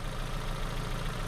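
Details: Ford Focus idling on customer-supplied spark plugs after a no-start repair; lumpy, uneven idle with low irregular beat and stumbles; ignition scope shows spikes on cylinders one and four, misfire blamed on faulty plugs.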